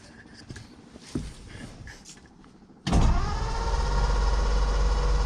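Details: "The 40" that used to start right up, choked; owner fears it is still flooded. After a quiet pause the starter churns steadily at about three and a half beats a second but the engine never catches: crank no-start.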